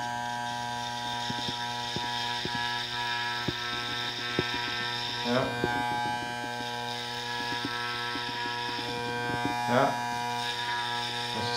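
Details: Dropped Andis Masters hair clipper after a full service and tension/power tuning, cutting hair: a steady, even buzz with light snips. Before the service it barely cut or made noise; now it runs strong and smooth.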